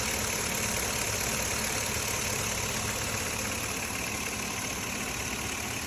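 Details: 2005 Chevrolet Avalanche 5.3 L V8 at 90,000 miles, idling with a light, fairly quick tick of about four a second over a hissy background; source of the ticking not pinned down.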